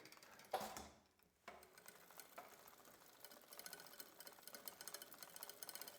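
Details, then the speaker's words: Bicycle rear derailleur with crisp shifting and a straight or barely bent hanger: a shift click, then light rhythmic metallic scraping as the chain rubs the inner or outer cage plate, meaning the derailleur cage is crooked. "this noise doesn't come from the chain wanting to go either up or down on the cassette that would mean that the cable tension is wrong is the chain rubbing against either the outer or inner plate of this cage that means the cage is crooked"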